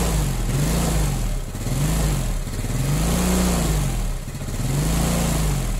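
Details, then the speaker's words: Yamaha Mio Sporty scooter that wouldn't start, running after adjusting too-tight intake/exhaust valve clearance: steady single-cylinder running with gentle rises and falls in revs, even firing, no knocking; normal running after repair. "nah I am long tuh motornya bisa hidup kembali ternyata kendalanya ada di setelan klep Yang rapat"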